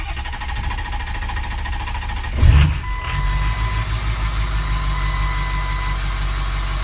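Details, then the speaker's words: 2006 Ford F350 6.0 Powerstroke diesel after sitting five to six years, after repairs: brief crank, catches and settles into steady, even low diesel clatter with no misses or smoke; normal idle. "oh yeah we're running we're running no smoke in there and there it is 6-0 F-350 running"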